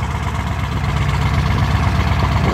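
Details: 1990s Ford 7.3 Powerstroke diesel truck, cold start at 8°F after a week unplugged: heavy, even diesel clatter at a steady low idle with no misses or stumbles; cold engine settling after finally starting.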